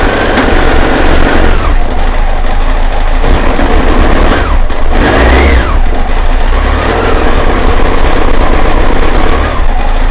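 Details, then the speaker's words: 1998 BMW K1100LT, about 83,000 miles, cold start with noisy fuel pump: loud, uneven note that surges and sags; idles but won't rev. Fuel pump suspected; unplugging and replugging the temperature sensor made it run fine again. "the problem actually returned as I was filming this so I hope I think you noticed it idles but I cannot grab it it just sounds awful"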